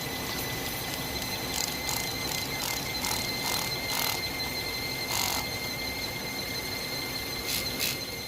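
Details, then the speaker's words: Hyundai Tucson at idle with a steady high-pitched squeal and chirps that does not change with the idle: slipping accessory (serpentine) belt; a pulley is suspected, and a soap-and-water spray is expected to silence it. "There you go, that high-pitched noise. That's the one I'm talking about. So soap and water, watch, it will go away."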